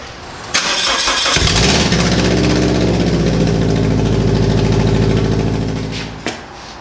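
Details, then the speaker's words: Subaru BRZ on first start after installing a Nameless Performance overpipe and front pipe with a Zeta catback: the engine fires into a loud, raw, chuffing idle as exhaust leaks out the front at the manifold. "well dude I uh I think we have an exhaust leak yeah I don't think that worked out too well so the problem is is that the exhaust leaking is leaking out of the car not out the back not out the back no it's it's leaking out the front"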